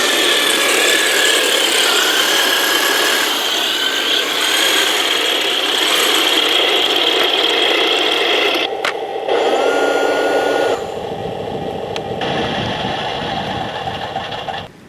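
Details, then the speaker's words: 1/16 scale RC Heng Long M4A3E2(76) Jumbo Sherman tank, test run after its stripped metal upgraded gearbox was replaced: smooth high-pitched gear whine and motor hum rising and falling with throttle, no skipping, performing extremely well. "Well, as you can see, the model performed extremely well in these conditions, and if it wasn't for the fact that I am really cold right now, I would be able to take the tank on a longer test run."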